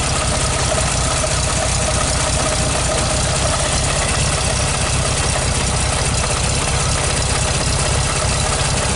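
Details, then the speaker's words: 1969 Volkswagen Beetle 1500cc air-cooled flat-four, cold start needing some choke: steady, even low drumming idle with dense mechanical rattle, no misses or knocks; normal cold idle. "so uh feel cold but this stage on I just love this sound the air-cooled Volkswagen sound is music to my I don't know what do you think"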